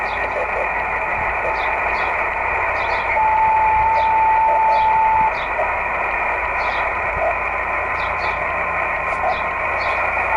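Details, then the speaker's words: Yaesu FT-817 radio with SARCTRAC Mk2 satellite antenna rotator controller/tracker, receiving a satellite: a clean, faint beacon tone comes in over steady radio hiss and holds a couple of seconds; satellite beacon received. "You can hear the beacon right there."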